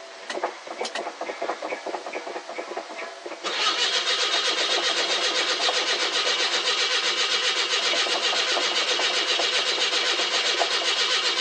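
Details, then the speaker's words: 42-year-old carbureted car, cold start after sitting a couple of months: starter grinds on steadily, slow to catch, as the old mechanical fuel pump lifts fuel to a dried-out float bowl; pump may be weak. "It'll take a bit to get the fuel up to the carb. Nice if it had an electric fuel pump, and I wouldn't be doing this."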